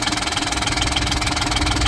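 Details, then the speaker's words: 2005 John Deere Gator HPX with a Yanmar diesel that had only started in warm weather, idling after new glow plugs and a new controller. An even chug with firm, regular pulses around twenty a second and no misses or knocks: a healthy normal idle. "turn it on they go out and it fires so we'll turn it fires nice okay folks the Chug lug lug"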